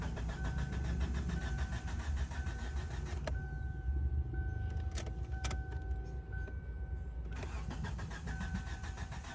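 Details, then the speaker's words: Kia Sportage / Hyundai Tucson cranking at a steady, normal rhythm with a chime sounding, but it never fires or catches; all fuses checked; crank no start. "And here it's cranking, but won't start. You have checked all the fuses."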